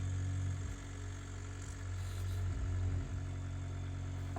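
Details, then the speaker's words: Ultra-Vac vacuum pump extracting wax from an older CIC hearing aid; steady low electric hum, even drone, no rattles or wavering, running normally. "So put the vacuum on there. You can hear the vacuum pump there. Just check he's working, and then we go to work just cleaning out any wax or detritus that's found its way inside."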